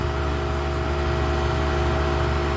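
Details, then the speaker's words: Home AC condenser fan motor, previously seized, patched: steady, even hum with a constant low drone and no scraping or rattle, running smoothly 48 hours later in 105° heat. "it's going since day two when I reled it up I haven't had any problems with it"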